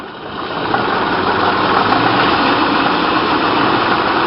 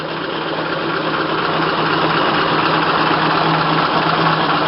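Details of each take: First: Low-mileage 1927 Packard 443 Club Coupe, still cold, revved up a little from idle: revs rise with rough, uneven pulsing that breaks up; owner attributes the sputtering to the engine being cold. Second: Low-mileage 1927 Packard 443 Club Coupe, just fired up and still cold: smooth, even low idle with soft steady beat, no knocks or misses; sounds good and runs well.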